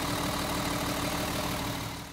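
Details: Mercedes 280 SE pulled from storage, missing and shaking: steady idle with slightly uneven lumpy beat as number two cylinder isn't firing, before checking its spark plug first; dead cylinder.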